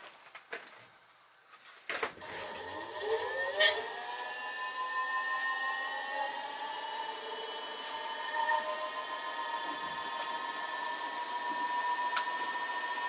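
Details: Electric motor on a repaired 18-FET 4115 controller, test run: the whine climbs smoothly in pitch as it spins up, then holds a clean steady tone with no cutting out. Normal motor run.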